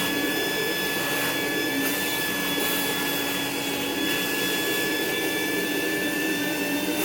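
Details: Rainbow E2 Gold two-speed vacuum cleaner, rebuilt with motor parts washed, lower motor bearing repacked and water in the basin: a steady, even high whine with no growl, rattle or rumble. Motor and bearings sound healthy; normal running.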